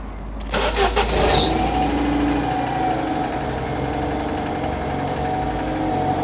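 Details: MK1 CL "George" after a pipe was refitted and the fuel pump pressurized the system with no leaks: a brief crank, a quick catch and an even, steady idle with no stumbling. A clean, healthy start.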